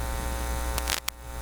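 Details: Philips PH202 vacuum tube console record player fed into a soundboard, with the phono cable shield not attached to the plug and the ground wire unconnected: strong steady low hum with brief clicks and no cartridge signal heard, loud mains hum, cause not confirmed.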